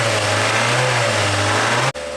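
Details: 2008 Mazda MX-5 after timing chain replacement for chain noise: smooth, even engine note with a light rev and no rattle or tapping; normal engine running.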